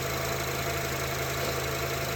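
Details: 2004 Acura TSX K24A2 engine after alternator replacement, charging at 14 volts: even, steady idle hum with a smooth low drone and no miss or clatter; healthy idle.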